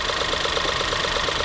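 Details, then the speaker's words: 2016 Ford 1.6L EcoBoost GDI, after correcting an improper installation: idle still with a steady uneven stumble, one beat dropping out; cylinder three still missing despite producing spark, coil suspected. "see and we still have it number three is still missing i should check that coil that coil might have burned up no we were still producing spark though"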